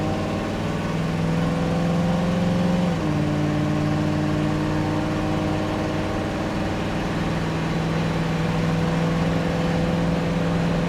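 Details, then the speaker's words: 1965 Ford Mustang Coupe automatic accelerating from a green light to about 55-60 mph; engine pitch climbs then drops crisply at about three seconds, clean firm smooth upshift, no slip. "shifts nice and smooth there 60 55 M hour this is a nice running nice riding car"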